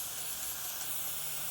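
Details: Etek 3 paintball gun, tank on: continuous sharp hiss from the solenoid cap exhaust hole while the gun still shoots; cause is over-pressure from a busted LPR piston seat, not the solenoid. Solenoid air leak.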